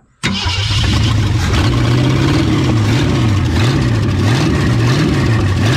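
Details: 1963.5 Ford Galaxie 500 hardtop, 390 FE V8 with prior no compression on #1 and blown-off oil filters, fires up and settles into a strong, even rumble with slight speed rise and fall; oiling properly, running healthy.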